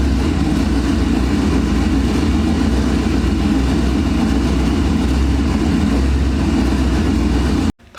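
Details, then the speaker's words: Mazda RX-7 with a twin-turbo Gen 3 5.3 LS V8, first start in 2 years: a loud, deep idle that sits around 1000 rpm against an 850 target, surging up and down. Owner suspects a faulty wideband O2 sensor; not confirmed. "it's idling it like a thousand rpm and it's like surging up and down all crazy"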